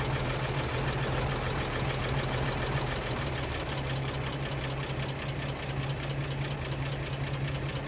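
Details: 1937 Pontiac Silver Streak barn find straight-eight after points were filed for weak spark: settles into steady low drumming idle with mild loping beat, firing on its own; running normally.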